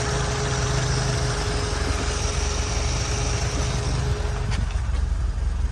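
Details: Lotus Elan restomod with carburettors refitted and line flushed, during balancing after pulling the throttles up: low steady idle drone with a faint uneven beat, then the note drops away. Idle is still being balanced.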